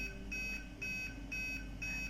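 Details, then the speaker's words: Aquaguard water purifier: short high beeps repeat about every half second with red lights stuck on, the error alarm from a faulty purity sensor (a simple LED), fixed by replacing the sensor. "this is a sensor which is called as purity sensor or in nautical term it is just a simple LED or"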